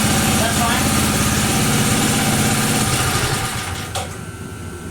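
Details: 1980 power tiller with Briggs and Stratton engine, restarted slightly warm after a couple minutes running, no choke: steady, even fast putter holding well at half throttle before winding down; running acceptably.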